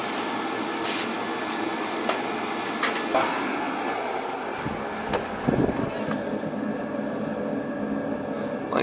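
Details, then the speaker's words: Riello oil burner fired up after its annual service: steady, even roar of the flame with no pulsing, puffing or rumble, just a few background clicks; burning clean with no smoke, normal operation. "clean no smoke"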